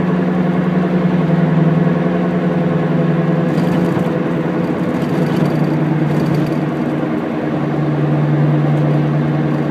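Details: Driving: low droning rumble under road noise, go-go-go, slightly wavering pitch, clearest when decelerating; hub (wheel) bearing noise.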